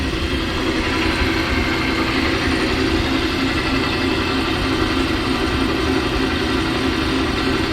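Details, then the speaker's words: Boiler-room pump motor in a roughly 8-story building, system around 85 PSI: a loud, constant rough roar with a droning hum. The coupler looks straight, but the inspector suspects the motor bearings are going bad; something is rocking. Abnormal pump motor noise. "Coupler looks like it's straight, but it sounds like the bearings on that motor are going bad. Something's rocking."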